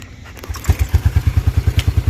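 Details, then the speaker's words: 1987 Yamaha Moto 4 YFM-350ER 350 single-cylinder ATV, backup pull start with key on in neutral; one pull, catches at once and settles into steady even idle thump; normal start and idle. "look at that started right up what a nice atv"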